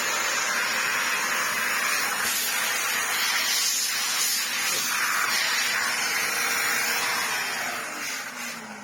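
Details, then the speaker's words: Electrolux vacuum cleaner running on minimum power, received full of broken glass and without a bag: steady high airy rush with a faint rough whirring from the motor; owner suspects leftover glass causes the motor noise. "It was full of broken glass and hadn't got a bag, and I think that's the remains of that making that noise on the motor. And I'm hoping it's not going to get any worse."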